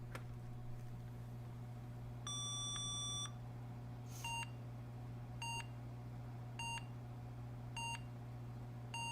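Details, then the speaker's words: Emerson Elite SX386 (386SX) after Dallas RTC replacement and Cyrix co-processor install, 60 ns 30-pin SIMMs fitted: one long beep then short beeps over fan hum, no video; memory fault suspected, not confirmed. "all right now that seems like that's three short beeps which i thought was ram one long beep and three short beeps failure above the 64k mark three short beeps uh memory"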